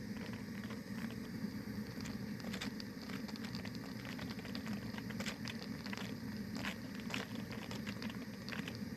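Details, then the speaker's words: Anchovy-net steam boiler heated by a 450 g gas canister, around 61–72°C: steady hiss with rapid, loud, fast-repeating puffs meaning the burner flame is too high; louder and faster puffing means stronger flame, so reduce the flame. "스팀 나가는 소리가 크면 클수록 불은 세다는 거예요 그리고이 반복 속도가 빨라요 그 불이 세다는 거니까 불을 줄여 주셔야 돼"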